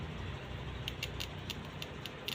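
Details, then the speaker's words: Honda City petrol ignition coil bench-tested at home on 12V in the dark with plugs on cylinders 1 and 3; about seven sharp spark snaps, current coming through, so the coil is good (the Maruti WagonR coil was bad). "Fire हो रहा है अंधेरे में करके इसमें current ए रहा है इसका मतलब है एक कोयल है आपका सही है"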